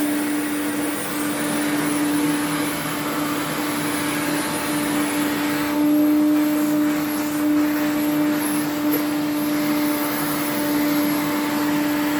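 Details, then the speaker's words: 1980s Electrolux 350E cylinder vacuum, restored but with a poor motor, during vacuuming: steady motor hum under a thin, high, constant whistle, attributed to two parts on the machine; air leak suspected, not confirmed; washing machine running in background. "you can hear the whistling that's these two"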